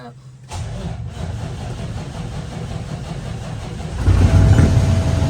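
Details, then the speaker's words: Truck diesel after an in-frame overhaul, injector replaced and coded, ECM and fuel-leak tests done; after a short crank it runs as a steady, even rumble rising smoothly on light throttle, with oil, fuel and air pressure and alternator good. "Running, oil pressure's good. Alternator's working. Fuel's good. Air pressure's good."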